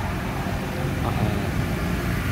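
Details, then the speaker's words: 2013 Suzuki Swift after PCV valve replacement for sudden white exhaust smoke: low, even idle with no misses or knocks; engine now smoother than the rough sound and burnt smell it arrived with. "mesin pun jadi lebih halus suaranya tidak sewaktu pertama kali datang suaranya agak kasar dan bau-bau sangit di sekitar mesin"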